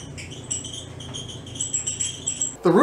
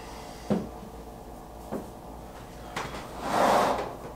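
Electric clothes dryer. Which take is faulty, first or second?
first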